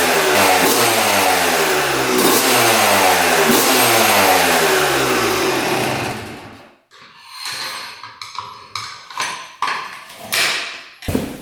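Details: 2006 Yamaha YZ250 two-stroke after full engine rebuild, carb leak fixed, before first ride: crisp, clean revs climb and drop steadily for six seconds, then light blips, no knock or bog; normal revving.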